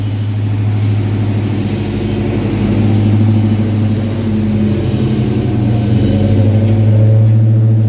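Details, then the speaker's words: 1986 Mustang V8, speed density, mild cam, new TrickFlow heads, vacuum leaks fixed, new fueling, shorty headers, started after sitting hours: deep lumpy idle, steady low beat, slight hunting while warming, no ticks or knocks; healthy after repair. "but we'll crank her up so you can see what it sounds like it probably is going to surge just a little bit until it warms up because it hasn't been cranked and you know a few hours"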